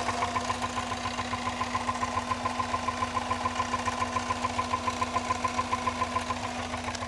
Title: Subaru Liberty. (Knocking noise)